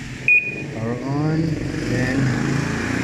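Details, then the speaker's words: Panasonic automatic washing machine with a no-power fault, after repair of its controller board: one short power-on beep, then the drive motor hums up smoothly for spin with a steadily rising tone; normal power-on and spin start. "process spin drive start yan so lalo akong gumaling gumawa nung"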